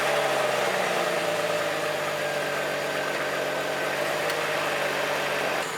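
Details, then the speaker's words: Jeep Wrangler TJ 4.0 six-cylinder after replacing a broken exhaust manifold: smooth, even idle with no ticking or puffing leak at the manifold; sounds much better, quiet and healthy. "Okay, we're done. Holy moly, it sounds so much better."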